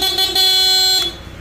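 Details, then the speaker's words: Dual horn after rewiring through a relay instead of the owner's plug-and-play setup: two loud, steady, high horn blasts that cut off cleanly. The dual horn works properly. "So switch ng dual horn. Okay? Switch nung MDL niya na Ziam brand. Maliit. Ito yung isa para sa malaki. So lahat po yung gawa niya. Rewiring lang tayo. Paandarin natin, no? Busina."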